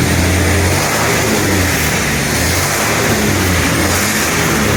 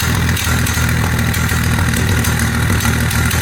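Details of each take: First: 1948 Dodge Custom Sedan flathead six with Fish carburetor and new baffled "shotgun" dual exhaust with silencers: brief rev settles to a low, even rumble, earlier exhaust tick at idle now gone; normal idle. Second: 1948 Dodge flathead six with Fish carburetor and baffled "shotgun" dual exhaust, cold idle just after first start: loud steady idle with a light uneven tick about three per second. Suspected leak around the baffles; owner plans to wrap them in fiberglass mat.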